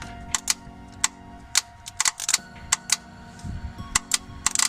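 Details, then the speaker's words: Honda Civic with D-series engine that suddenly would not start, 12.7 V at the starter: jumping the solenoid gives sharp, uneven clicks, about a dozen in five seconds, with no cranking; starter motor stuck, failed. "I'm getting the same clicking it's not turning over so I think the yeah it's a good sign the motor the starter motor is uh stuck"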